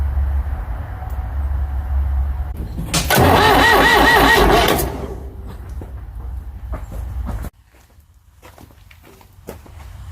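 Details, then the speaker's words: Ford 555 backhoe diesel after head reinstall: a couple of seconds of hard cranking that never catches, then dies off. The injection pump is air-bound from sucking air through a plugged filter and needs bleeding. "So, you're supposed to get all the air out. I have the pump air bound. Must be because it was sucking air from the filter being plugged."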